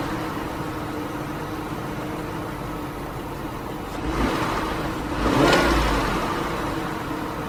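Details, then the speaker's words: 2001 Lincoln Navigator, Triton 5.4 V8, idling: light, fast ticking or tapping in the engine note plus two brief throttle blips; engine ticking at idle, cause unknown. "So this is my 2001 Lincoln Navigator with a tickling sound."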